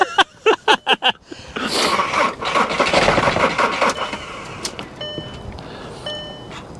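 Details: Diesel on a draining booster pack: a few slow, labored starter turns, then hissing and chimes with no firing; it cranks but never catches. Owner suspects lost prime or bad old fuel.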